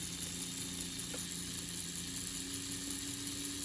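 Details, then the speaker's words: AHM/Rivarossi 2-8-2 Mikado model locomotive, unrun for 15 years, after oiling wheel contact points, running forward: faint steady motor hum, even whir, no dips or labouring; normal running. "Honestly, it sounds healthy. It doesn't sound like it's really struggling at all."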